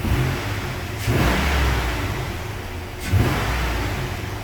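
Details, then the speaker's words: 2005 GMC Yukon XL 1500 5.3L V8 after fuel pump replacement via a cut access hatch, primed, AC off, which had given lean codes: two clean throttle blips, picks up smartly and settles without stumble; acceleration sounds perfect. "acceleration and that sounds perfect"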